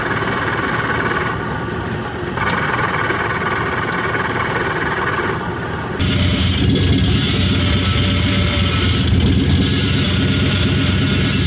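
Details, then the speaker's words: Engine running with a rough, uneven metallic clatter about four times per second from the clutch pressure plate, whose flexing fingers have cut or broken from friction and fatigue. "El siguiente sonido ahora es del plato opresor. Este contiene unas lenguas que se flexionan y a veces por la misma fricción se cortan solitas o se rompen por la fatiga haciendo que se escuche de esta manera."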